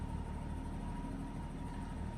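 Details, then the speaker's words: 1989 BMW E30 325i, cold start after sitting several days: low, even idle around 600 rpm, only a slight dip and stutter right after starting. Rough idle, suspected idle control valve, appears only when warm. Normal idle. "the RPM is relatively stable so that's good there was a little bit of a when I first started it it just dropped a little bit and did a bit of a stutter but so far so good"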